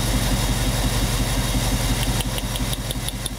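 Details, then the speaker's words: 1998 Chevy van, 5.7 engine, cylinder drop test with a test light: uneven, loping idle stumbling about three times a second; shorting this plug wire gives no rpm change, one of two dead cylinders causing a constant multiple misfire. "Yep. No change in RPM. So we have two cylinders."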